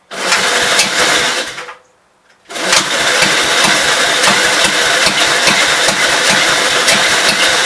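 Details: 1952 Gravely L single-cylinder, night three, running on the carburetor and throttle setup from a 53 L after suspected fuel delivery problems, set to idle, loose electric-start connection diagnosed: after a brief quiet gap it fires into a steady, even beat, no misses.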